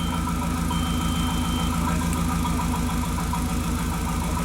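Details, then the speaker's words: 2001 VW Jetta Wolfsburg 1.8T at idle after swapping coils and plugs with cylinder 1: regular low thump about three times a second, single-cylinder misfire still on cylinder 2 (cylinder 3 cleared); compression test on cylinder 2 planned next. "I swapped them with number one and it didn't change anything we still have misfire on number two"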